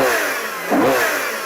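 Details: Ferrari Purosangue, 6.5L naturally aspirated V12 (725 hp), 8-speed dual-clutch: smooth clean rev blip, pitch climbing quickly, holding briefly and falling back evenly with no misses or knocks; healthy V12.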